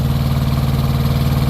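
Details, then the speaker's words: Truck APU small diesel after tightening the squealing APU drive belt, compressor kicked in and revved up: steady, even low thrum with regular pulse and no squeal or chirp; normal running, belt noise fixed. "mira volvió y se aceleró ahora ya no suena"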